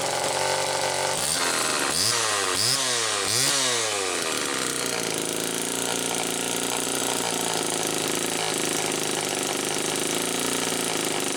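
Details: 1974 Homelite XL-2 chainsaw test run after air leak repair: two-stroke blips up and down three times, then settles into a steady, slightly high buzzing idle with no stumbling; running fine, though owner finds idle not quite right.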